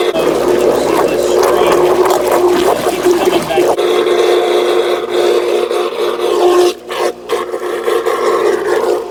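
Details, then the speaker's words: Whisperflo pool pump, below water level, after replacing leaking internal diffuser O-ring that stopped priming: steady, even rush of water with constant motor hum, no surging or gurgling; primed immediately, runs normally. "Right up immediately. You have a bad gauge here, but it's working. Pump primed straight"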